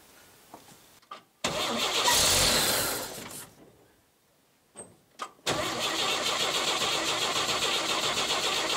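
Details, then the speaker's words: 1959 GMC old six-cylinder truck: starter spins evenly about two seconds without firing, choke confirmed working, fuel not pumping; after priming, cranks again and catches. Crank no start from no fuel delivery. "Is the fuel not pumping? Is the choke not choking? Choke is choking. Ah! Fuel is not pumping!"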